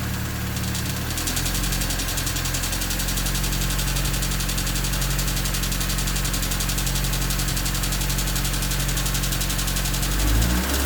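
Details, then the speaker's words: Honda D16Y8 engine at idle after a new header: a light, fast chatter over the engine note that gets faster as the throttle opens. A stethoscope places it at the head around cylinders 1 and 2; owner thinks valves rather than rod knock. "So as you can hear, it's still chattering quite a bit, and it gets faster as the throttle opens up. It still sounds a lot like valves to me, and with the stethoscope, the sound is primarily coming from the head around cylinders 1 and 2, which gets me thinking it's probably the valves and not a rod knock."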